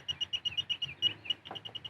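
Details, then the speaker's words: Automotive circuit tracer receiver on sensitivity 3 (high) beeping with rapid, even high-pitched chirps about eight a second while lighting, as it picks up the transmitter's signal on the wire being traced inside the vehicle. "I'm going to go to 3, which is high sensitivity. You see, you hear it, hopefully. It's beeping and it's lighting"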